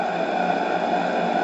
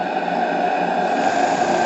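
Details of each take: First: Model steam engine for an RC boat on a vintage boiler at about 2 bar, with a stop valve and reversing: steady running hiss with a faint tone continues after the valve is closed; the valve probably leaks slightly. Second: Model steam engine (FBI) on live steam from a restored vintage boiler, about 2 bar with stop valve and damper valve as in a boat: constant airy hiss, steady running, reversing works though hard to adjust and not perfect; normal running.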